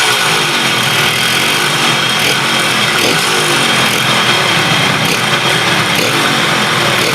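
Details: KH250 three-cylinder two-stroke motorcycle revived after 32 years standing in storage, now fully restored. Steady, busy crackle at a fast idle, no misses or knocks; all three cylinders running evenly, normal.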